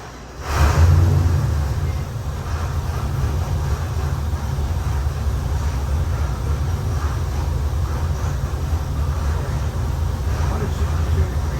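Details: Custom-built Chevy LS 427 (LS3-based, copper-painted, twin Holley 1000 CFM 4150 throttle bodies, CVF pulley kit) for a '71 Chevy C10, final dyno pass; deep, even, steady rumble without misses or knocks; normal engine run, made 632hp/589 lb-ft.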